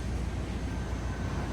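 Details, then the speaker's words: Ram 1500 5.7 after repair of a recurring melting-ignition-coil fault: deep, even idle rumble with no pops or stumbles, firing cleanly on all cylinders, no misfires. "We secretly already started it up, but I want to just act like we first started so you guys on YouTube think I'm smart. Oh my goodness, no misfires."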